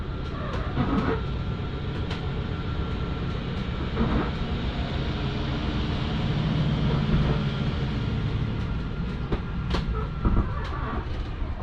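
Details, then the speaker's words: Jayco Jay Flight SLX 267BHS travel trailer slide-out retracting: steady low motor drone ending in a brief rough grinding burst, which is the normal end-of-travel override stopping the slide coming in too far. "It's okay to hear that little grinding noise. It's actually not grinding. It's an override on the slide to keep itself from coming in too far."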